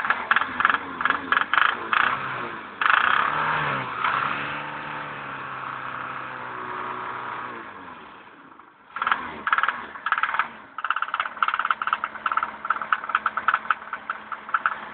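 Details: BMW M10B18 petrol four-cylinder revving and settling: a sharp, irregular knocking clatter rides over the engine note. Source of the knock unknown; cause not confirmed.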